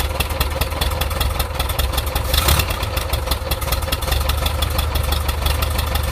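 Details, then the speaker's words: 1.7 L Volkswagen Type 4 engine at idle: low, lumpy idle with a dull knock riding steadily throughout; the source is not yet identified. "Alright, so I'm hearing a knocking sound in this 1.7 liter Volkswagen motor."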